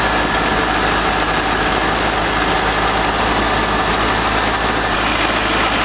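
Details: C5 Corvette V8 first start after 4+ months of repairs (harmonic balancer and front subframe replaced), in neutral: steady, even idle with smooth unbroken exhaust note, no knocks or misses; healthy.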